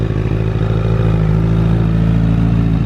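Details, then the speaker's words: 2008 Honda CBR1000RR with 53,000 miles, suspected not charging, with a melted harness plug: smooth even four-cylinder note holding steady under throttle, with no ticking, knocking or clatter. Engine sounds healthy. "like the engine sounds pretty dang healthy"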